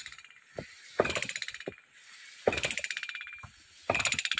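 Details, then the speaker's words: Mini hydram ram pump, not yet concreted in, resting on a rock: regular cycle every 1.5 seconds of sharp waste-valve slam then fading ratcheting rattle, with vibration; normal hydram pump operation. "ini pompa belum dicor teman-teman pompa belum dicor hanya ditaruh aja di atas batu Ini lihat getarannya mesra sekali getarannya suaranya"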